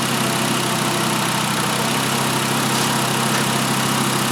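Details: 2012 Volkswagen Jetta 2.5L five-cylinder after replacing all five worn, wide-gapped spark plugs that caused a constant misfire: steady even idle under hiss, no stumbles or skipped beats; smooth and healthy.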